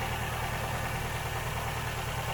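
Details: Ford Fiesta Duratec petrol engine running on only three cylinders: a steady idle with an uneven, lumpy pulse, missing one beat each cycle; the misfire is traced to a faulty ignition coil pack, which was replaced.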